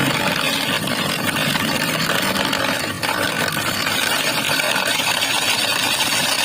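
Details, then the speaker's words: Carlton BES400FD double-blade ice shaver, 250 W, 220 V, 15000 r/min; motor runs evenly while loose ice rattles and crunches irregularly from cubes shifting inside, no strain or grinding; machine itself smooth, normal. "ketika dicoba tanpa es batu memang suaranya itu terasa cukup halus ya kalau dengan es batu itu hacker arah pintu itu adalah suara es batu yang sering bergeser geser yaitu ke tempat dalemannya ini"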